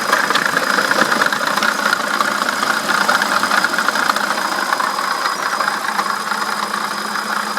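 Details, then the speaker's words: BMW E65/E66 V8 at idle: a thin, steady, rough high squeak over the busy engine-bay whir; no coolant leaking from the gasket. Water pump bearing going out (pulley not ruled out); it has squeaked badly for days. "so guys the water pump is not showing any signs of the gasket leaking with coolant shooting out anywhere but it has a rough little squeak to it right there and so I'm not sure if that's the Poley or just the bearing but my water pump bearing is going out"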